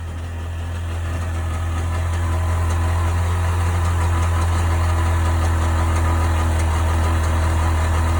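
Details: 1998 Sea-Doo GS 720 two-stroke at idle: low steady drone with a faint repeating beat about four times a second; abnormal noise, cause unclear.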